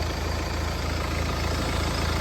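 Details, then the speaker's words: Mercedes E250 after engine repair for knocking: smooth, even low idle with a steady rumble and no knocking or ticking; normal idle. "देख रहे हो गा engine का sound भी कितना प्यारा बन गया"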